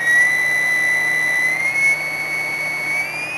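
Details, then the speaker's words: Constant-current PWM controller clone (Zero Fossil Fuel CCPWM) driving a hydrogen cell, with repaired capacitors: a steady thin whistle near 2 kHz creeping up slightly in pitch. Normal switching whine. "kind of help explain what frequency is when they talk about frequency in a Cell It's how many times it's getting hit for a given time and it it makes the plates and reaction in the cell do things that are good and bad"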